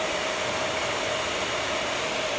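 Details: Air Venturi 4,500 psi high-pressure compressor, water-cooled with distilled water, first setup run: constant rushing hum with steady mid-pitched tone, no knocks or surging; running evenly.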